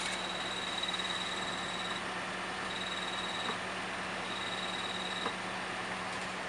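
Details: 2010 Toyota Corolla manual, in neutral at quiet idle: light, irregular high chirps only when the clutch pedal is fully released, from a bad throwout (clutch release) bearing, since replaced.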